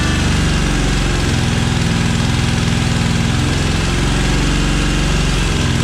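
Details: Cub Cadet 1864 lawn tractor (possibly 1994), 671 hours. It won't run at full throttle; with throttle down on full choke the beat lopes and wavers unevenly. The suspected cause is fuel starvation from a clogged carburetor.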